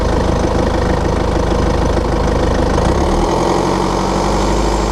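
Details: 2013 BMW 520d F10/F11, N47 diesel, cold and under load at 1500 rpm: loud run with fast, uneven metallic rattle/tick about four a second from a faulty injector, pinpointed via ISTA.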